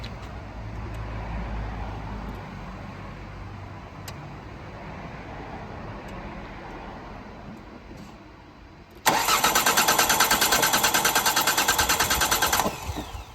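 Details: Diesel with battery charged five hours, dash showing malfunction, fuel confirmed reaching the pump: even starter whirr at about three beats a second for several seconds, never catches; cranks but won't start, cause unconfirmed.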